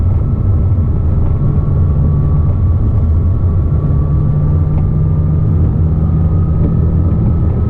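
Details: 2007 Porsche Cayman S, 45,000 miles, cruising in third/fourth gear and in neutral, most noticeable around 3000 rpm: thin steady RPM-linked high whine over engine drone, gone with clutch disengaged. Worn water pump bearing; replacing pump cured it.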